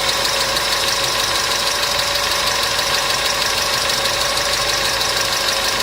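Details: Customer's engine at idle with noisy hydraulic lifters, started after an additive was poured in; light quick tapping about three per second from the top end, hydraulic lifter tick.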